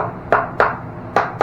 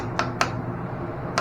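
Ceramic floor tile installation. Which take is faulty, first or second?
first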